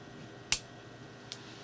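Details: 220V automatic voltage regulator/UPS under repair: two sharp, dry relay clicks about 0.75 s apart over a faint hum at power-on. Relays switching at power-on; the fault was faulty tuning resistors.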